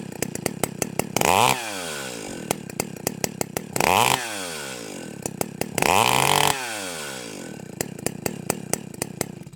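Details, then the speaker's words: Stihl 028 AVEQ chainsaw with the low-speed screw turned out about half a turn: idle drastically changed, uneven with sharp irregular pops between three quick throttle blips; rich idle mixture, to be tuned by ear. "okay you can hear how the idle has drastically changed and uh that's that's okay you know we can fix that"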